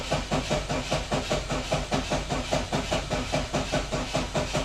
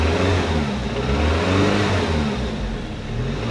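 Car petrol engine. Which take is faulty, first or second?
first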